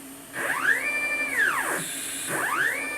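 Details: Upgraded Y-axis stepper motor on a homemade JGRO CNC router, Mach3 velocity backed off to 38 (slips at 45): clean whine rises, holds steady, falls, with no stutter; the motor runs without missing steps.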